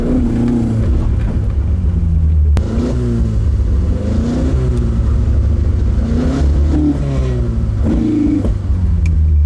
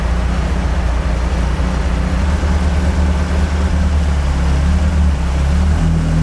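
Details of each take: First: Carbureted AE86 build, MSD ignition, distributor timing just adjusted: repeated rev-ups rise and fall unevenly with a rough low drone, stumbling on full throttle; timing change failed, faulty carb circuit misfire. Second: Carbureted AE86 build on a temporary throttle setup: a deep, steady drone building slightly under throttle, with no stumble or misfire. It is now running cleanly, and the owner concludes the Weber carbs were the earlier problem. It is still slightly smoky, with a coolant leak.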